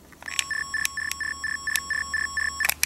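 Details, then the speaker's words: 1980 ATC/American Bell AutoMatic TelePhone answering machine's PC25 pocket coder, with a new battery, sending its erase tone: a clear high beep repeating about a dozen times at roughly four per second, evenly spaced; working properly, sounds the same as the message tone. "So I wanted that new battery so I could hear the tones. What's this one? This one's the messages. This is the erase tone."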